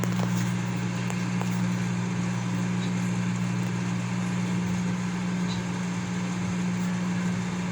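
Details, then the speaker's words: Consul CM020 20-litre microwave after magnetron replacement (previously loud noise and no heating), test with glass of cold water. Steady low mains hum, no loud buzzing or rattling; strong noise gone, normal operation. "e ele não tá fazendo mais aquele barulho forte e tá fazendo barulho normal dele"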